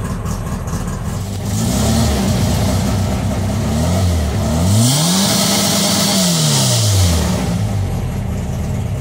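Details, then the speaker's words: VW Bug with Weber 44 IDF carbs and a newly installed CB Performance Black Box ignition, map not yet tuned: the engine pulls cleanly through crisp rev blips with no stumble or misfire. Timing was checked afterwards, found well off, and reset to 20. "listen to this beast hey that's what i call a real motor"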